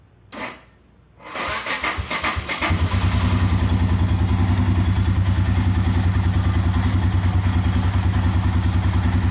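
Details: 2019 Royal Enfield Himalayan cranks slowly and laboriously for over a second before catching, then settles into steady thumping idle; starts many times back to back but always slow; owner unsure whether starter or battery is bad.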